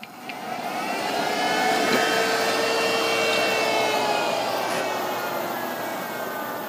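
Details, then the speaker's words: Dell Precision 490 powered on with the case open: beeps, then fans ramp up within a second or two to full speed and hold there with whining tones; case-open alarm fan test mode. "does Q beeps and it sounds like it goes into fan test mode because you can hear the fans really start to crank up to full speed"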